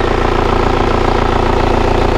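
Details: Kia Carnival diesel idling before warm-up, after a radiator check with no compression bubbles. Steady, even clatter with a smooth, crisp rhythm and no knocks or misses; judged healthy and comparable to an Innova. Normal diesel idle.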